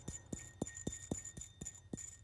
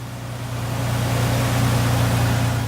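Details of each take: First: Ford Ranger 3.0 V6, lower idler pulley removed and hand-spun: dry, regular click about four times a second as it coasts down; worn bearing causing the squeak, pulley needs replacement. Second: 2004 Ford Ranger XLT 3.0L V6 after replacing upper and lower idler pulleys: smooth, low, steady idle hum, no belt chirp or squeal; earlier squeak suspected from bottom idler pulley, now gone.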